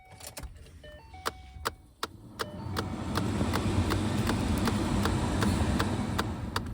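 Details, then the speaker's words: 2011 Ford Mustang at key-on, after the chimes: steady clicking, about two to three per second, from behind the dash. A failing AC blend door actuator; AC still blows cold. "You hear that? That's a blend door for the AC."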